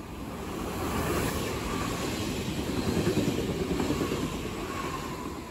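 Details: Berlin S-Bahn BR485 unit 485 112-7, built 1991, onboard on the S8 from Schönfließ to Hohen Neuendorf, with a severe wheel flat spot: rolling clatter repeating about three times a second, louder rattling than usual.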